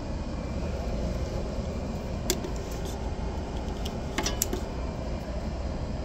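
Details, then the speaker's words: Carrier package-type AC unit, three-phase scroll compressor single phasing, one line dead (220 V reading 105–110 V), likely breaker/main supply fault: heavy steady low hum; phase monitor prevents unit from running. "Papakita ko sa inyo yung nag single face na Three face motor yung amperahe niya at saka yung tunog niya wala oh yan single f n single face"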